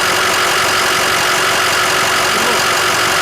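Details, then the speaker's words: Ford Excursion diesel, cold start after a Blue Spring fuel pressure regulator kit and fuel and HFCM filter changes: steady, even diesel clatter with no misses or surges; the idle is smoother, quieter, deeper and less rattly, with little vibration. "the idle it's a lot quieter it's idling really smooth very little vibration and um it's kind of like a deeper tone to the idle it's not quite as rattly"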